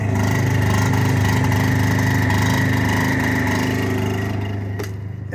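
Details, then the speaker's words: Onboard generator on a 2009 Workhorse W62 Snap-On truck, just started with shore power unplugged; steady even drone with constant mid-pitched hum, no knocks or misses; normal running. "Okay, and then you just hit start. The generator is on and running. You hear it right out here."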